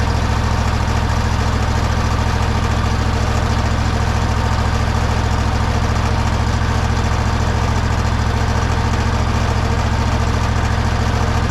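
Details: Toro zero-turn mower: steady low even thrum, about three and a half pulses a second, no knocks or misses; engine idles cleanly.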